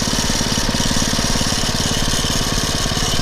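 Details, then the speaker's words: Poulan/Weed Eater VIP garden tiller, 5 HP Briggs & Stratton single-cylinder, 15+ years old, on old gas after tune-up (new Champion plug, air filter, oil change, mixture-screw adjustment): steady even putter, no longer revving up and down; normal idle. "not revving up and down like it [Music] was sounds really good"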